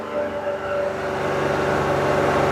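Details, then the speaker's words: First cold start of the year after a long winter, with a new battery, before replacing the IAC valve: a loud, steady, fast-running engine note that holds high without settling; it idles too fast. "Start her up and let's see how she sounds. It's first start of the year. Ooh, see that's loud. That is too much. And that is excessive."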